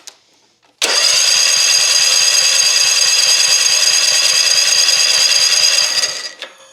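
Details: Toro Time Cutter mower, badly reworked by a tenant, cranked with the fuel line off the carburetor to check fuel pumping: even, fast starter whir of about four beats per second for five seconds; normal cranking without firing, fuel flows well.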